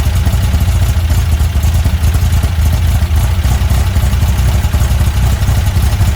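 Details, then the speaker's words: Car with Weber 44 IDF carburettor after resizing idle jets: steady, even low idle with slight clatter, idle now set; hesitation remains when throttle is hit, attributed to main jets too small, to be enlarged. "all right so idle set he's good to go now we gotta all we gotta do is uh fix that uh hesitation when you hit the throttle that means that your uh your jets your main jets are a little too too uh small"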